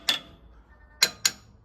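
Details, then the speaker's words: Massey Ferguson 135 tractor front axle: three sharp ringing hammer taps on the axle bolts; the ones that sound different and shift under the hammer are loose, with a visible gap, to be tightened. "bolts are a bit loose on the front axle they move"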